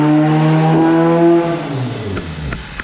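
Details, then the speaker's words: Honda Civic: crisp clean rev falling away smoothly with no stumble or popping; engine pulls evenly and sounds healthy. "it sounds like it's ripping over here makes you guys check this out"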